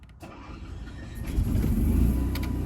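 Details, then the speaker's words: Freelander RV generator start after holding the switch to stop about 10 seconds to prime the fuel system: a short crank catches almost instantly and settles into a steady, clean low drone; normal start. "And you can see that it starts up almost instantly. So always remember to hit stop and prime that first."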